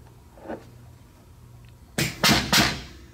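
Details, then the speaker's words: Kurt KHP3 air-over-hydraulic vise pump, shop air at 80 psi, expected to give about 3000 psi hydraulic: three quick, sharp air-exhaust bursts then a quiet hold, may bleed down slightly and re-actuate; normal pump cycle. "that's a pretty normal cycle it will hold that pressure it may bleed down just slightly"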